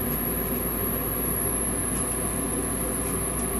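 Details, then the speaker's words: New Fasco replacement draft induction blower (119256-00 / ICP 1014341 JA) on a gas furnace, replacing the noisy old motor; smooth even whoosh over a low steady hum, no rattle or bearing growl: normal draft inducer operation. "nice it's a much quieter motor so yeah definitely the old motor was it was going out it was making a lot of noise"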